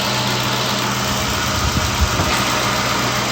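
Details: Infiniti M45 after engine swap, warm idle: even low V8 rumble, no knocks, misses or hunting; exhaust manifold burning off residue smoke, some plastic smell noted; engine healthy.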